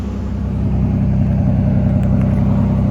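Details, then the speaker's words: 1986 Nissan 300ZX after new crank angle sensor, spark plugs and fuel parts, about ten minutes running, temperature gauge centered: deep, steady idle with even low rumble, no knocks, misses or rattles; normal idle. "It's still running fine. Seems to be continuing to run nice and smooth."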